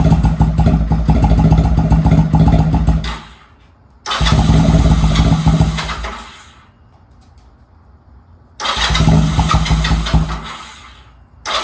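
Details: Honda Rebel 250 first start in 27 years, in neutral with choke fully up: catches after cranking and runs in rough uneven bursts of a few seconds, still getting fuel through, but no engine noise; sounds healthy.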